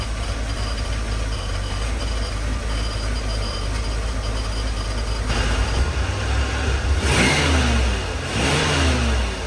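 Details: 1984 Chevy K20 with 350 V8 after sitting 7 years, following spark plug and oil change: deep steady even idle rumble, no misses or knocks, getting smoother as it sits; normal idle, small solenoid noise noted.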